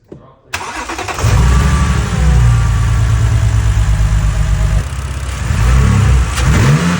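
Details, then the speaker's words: 2011 BMW 328i E90 after replacing cylinder four to six ignition coil packs, including the failed cylinder six: engine catches and settles into a steady even idle with smooth blips, no misfire stumble; smoother now. "[Applause] so all right so smoother now as you guys can hear so I guess let's put it back [Music] together"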